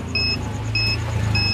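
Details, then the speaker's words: Polytron Zerometic single-tub washing machine after control module repair (power supply rail measured 4.4 V): short, clear high beeps, one per button press, over a low hum; all buttons now respond normally. "Tolong gue power kita tekan Nah sudah berbunyi dan ini untuk khasnya kita pencet Apakah sudah normal"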